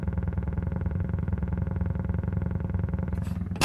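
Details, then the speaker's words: Hulk pinball machine on first power-up with new Pascal all-in-one board and original sound board: deep buzzy rumble pulses steadily instead of clean sound effects; speaker seems to be the issue rather than the sound board, likely needs replacing. "it's my speaker that's the issue it's not necessarily the sound board but i think i'm going to need a new speaker at least"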